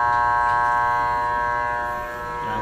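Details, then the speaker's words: Electric water pump plugged in: steady electrical hum, motor does not turn or run up to speed; stalled pump motor. "kapag isinaksak niyo hindi umiikot yung motor ng water pump umuugong lang siya parang ganito mga kaibigan yan umuugong lang siya hindi umiikot"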